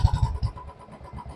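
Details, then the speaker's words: Royal Enfield BS4 single at idle after checking for hydraulic tappet noise: steady, even low thump with no ticking on top; valve train sounds quiet and normal, no problem. "ഇതിപ്പോ സാധാരണ normal sound"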